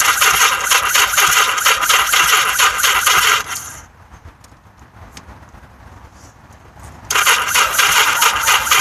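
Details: Yamaha XS1100 motorcycle no-start: starter chatters and churns for several seconds, pauses, cranks again, never fires; weak battery and incorrectly installed octy suspected, not confirmed.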